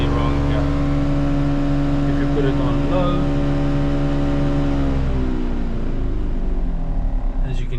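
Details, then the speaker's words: Crash-repaired Mercedes-Benz C200, climate on auto: steady droning, buzzing whir from the blower behind the dash, easing after seconds; quiet on low, something suspected stuck behind the dash, cause unconfirmed. "hear, something's clearly clearly wrong there. Put it on low, it doesn't make noise. So, I think something is stuck behind here."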